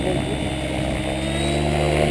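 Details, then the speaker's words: Logo600 RC helicopter: steady, high, unwavering rotor and motor drone. Measured headspeed readings of 77 to 78 are judged far too high. "No, to už je moc, Petě. Tak 70, 78, 77. Tohle už je fakt moc."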